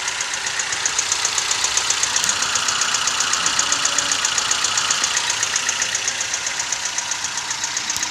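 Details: Toyota 1NZ-FE at idle: sharp, even metallic ticking at about four beats per second; source not pinned down, timing chain or VVT-i coupling suspected. Engine knock.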